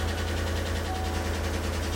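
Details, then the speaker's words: Chevrolet V8 with AFM/DOD, Tahoe or Silverado type, at idle: loud steady light ticking with slight uneven beat like a soft misfire; no misfire codes, P0106 and bank 2 fuel trim balance codes; collapsed lifter suspected. "You know what? It sounds kind of like it's got a light misfire. You can't really feel it, but it sounds like it."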